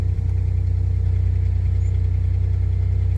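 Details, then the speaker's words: 2005 Pontiac Grand Prix after a new ignition coil and cleared codes: starts quickly and idles steady and even with no stumbles, no misfires counting, unlike before when the accelerator had to be held to keep it running. "Starts up real quick and runs perfect from the very beginning. Not like last time where I had to hold my foot on the accelerator pedal just to keep it running. Yeah, I don't feel any misfires."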